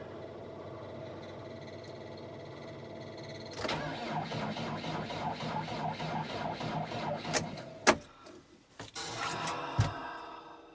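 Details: Tractor at about minus 18°C with its block heater plugged in for a while: about four seconds of steady, even cranking beats that stop without ever catching. It cranks but won't start.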